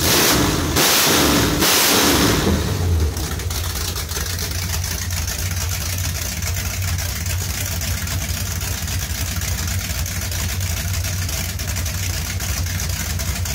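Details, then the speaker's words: 383 V8 in a Charger with a Whiplash cam, on open headers with a little throttle. A quick rev, then a lumpy loping idle with a sharp puffing tick on each beat from an exhaust leak. "that sounds a lot better you can actually hear the cam over the exhaust leak"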